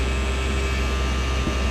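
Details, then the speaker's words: 1970.5 Ford Falcon with rebuilt engine, hot idle at 1,300 rpm with 58-60 psi oil pressure: deep smooth even hum, no knocks or ticks; engine healthy. "60 58 lb oil pressure at 1,300 RPM and she's hot. That's good."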